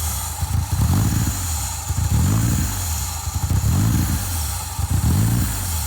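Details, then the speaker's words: 1970 VW Type 2 Westfalia bus with swapped Toyota Tacoma 3RZ engine, ECU with factory O2 sensor, new short exhaust: engine surges and sags about once a second, hunting rather than idling; wiring not sorted and no cooling system yet. "It's got some runnability issues because the wiring isn't sorted and we have no cooling system, but it sounds so much better than it did before."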